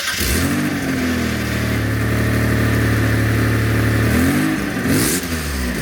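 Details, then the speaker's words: 1992 Dodge Stealth revved with the camera at the rear, before replacing the factory front pipe with a 3SX NA unit: raspy, blatty exhaust that swells with revs. A badly leaking front-pipe flex section. "but now the flex section on the front pipe is leaking so bad and it sounds terrible"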